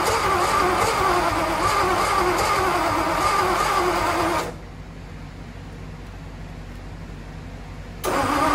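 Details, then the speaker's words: First start of a revived Ford Y-block V8 with plug wires routed for clockwise distributor rotation, though the Y-block's spins counterclockwise. Loud, uneven cranking that never settles into a clean run, drops off, then restarts: backfiring from wrong plug-wire order. "I made an assumption because of the firing order that the uh distributor also spins in the same direction as the Flathead but in the Y block it's actually counterclockwise so it's no shock that it was going all kinds of crazy"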